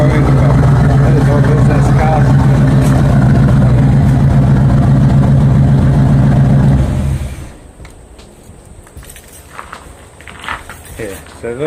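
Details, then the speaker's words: Small-block Chevy V8 Camaro after replacing the fuel pump with an Aeroflow pump (owner believes wrong fuel caused trouble), 6 psi fuel pressure: deep, even idle with steady lumpy beat, no misses or knocks, then shut off; running nicer on the tune. "So, that's the running 6 PSI. Um it seems to be running a lot nicer on the tune now."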